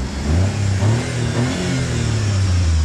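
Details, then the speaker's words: Chery-engined utility vehicle with five-speed manual, sold as scratch-and-dent: low, even engine note rising and falling smoothly through a short rev, quiet with no smoke, knocks or rattles; motor runs healthy. "the motor sounds good it's quiet there's no smoke I think the motor is just fine rev it up a little bit"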